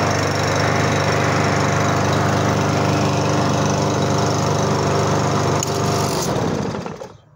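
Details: Briggs & Stratton lawn mower that wouldn't start, fixed by replacing the worn-out brake cable: steady, even engine drone holding constant speed, then shutdown and fade; now runs properly.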